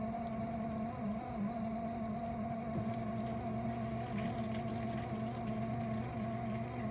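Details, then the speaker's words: Miele G6625 dishwasher bought April 2018, about 7.5 years old, filled with water, filter, spray arms and non-return valve clear: loud gritty grinding with whine when the circulation pump motor runs; owner suspects debris in the pump or worn motor bearings. "We noticed over the weekend the unit started making a loud grinding sound when the circulation pump motor would come on."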